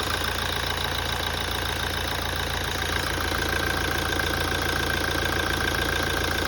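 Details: 2017 Toyota after a major service: steady idle with a regular light knock, about three to four per second, following engine speed. Knocking noise at idle; cause suspected, not confirmed.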